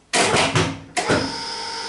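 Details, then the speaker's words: Eagle surface grinder motor restarted with the stiff spindle fully dismantled: switches on with a thump, then a quiet, even hum with no knocking or grinding. It runs cool without tripping, and the motor is healthy. "that's it running now you can hear the motor really quiet it'll run for ages and ages like that no problem at all"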